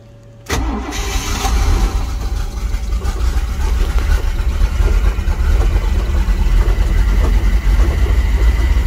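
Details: 1987 Powerplay XLT-185 boat, Mercruiser 350 V8 converted from Rochester Quadrajet carburetor to Holley Sniper EFI, fuel pump primes to 60 psi. Cold start, not yet warmed or in closed loop: quick crank, clean catch, then deep steady even V8 idle; starts and runs normally.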